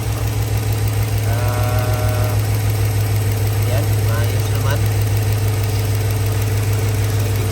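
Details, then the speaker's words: Holden Calais V8 idling low and lumpy with an uneven beat; check engine light on, codes show cylinder 3 misfire, injector circuit malfunction and random misfire P0300, pointing to a dead cylinder 3. "so uh cylinder number three misfire injector circuit malfunction and p300 random cylinder mfire"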